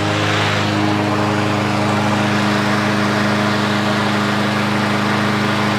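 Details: 2023 Craftsman M110 lawn mower that had died while cutting and would not start, first start after the fix (carb jet supplied): steady, even single-cylinder running with no misses or knocks. Normal running.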